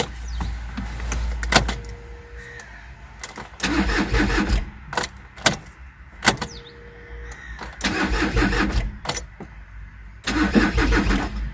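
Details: VW with codes P0016 and P0341 (crankshaft/camshaft position correlation, bank 1 sensor A), timing belt suspected: several short cranking bursts with pauses; the engine spins but never fires, a crank-no-start. Cause not confirmed.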